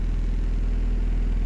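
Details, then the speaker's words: New H23 VTEC Frankenstein engine in CB9 Honda Accord, cold idle after plugging the missing oil squirter port and adding fresh 10W30: smooth, even low idle, steady pulse, no knocking or ticking; 44 psi oil pressure versus 0 before. "It's telling me I've got 44 psi upon cold fire up. Before, this thing was telling me I had 0 when I had that plug missing from the bottom end."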